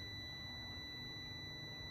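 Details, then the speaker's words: 2011 Chevy Malibu with P0013 exhaust camshaft actuator circuit code, multimeter continuity test across the cam solenoid for comparison: steady high meter tone, closed circuit; good solenoid circuit. "So even if I'm just missing it once in a while and just touching it, you'll hear it."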